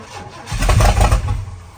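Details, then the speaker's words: Project truck with straight-pipe exhaust after rewiring, check engine light on, no fuel pump heard priming: cranks, catches for a second with a deep loud burst, then dies; it has spark but a fuel pump problem is starving it of fuel. "We got no fuel pump. We don't hear a fuel pump or nothing."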